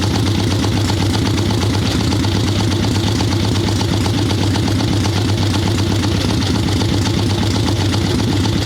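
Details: Harley ironhead Sportster XLCH chopper V-twin, Mikuni VM38 carb, cold wet day, idling on choke with fresh plugs: lumpy, loping idle with soft lazy beat and deep exhaust, boggy; too rich, owner suspects not just carb.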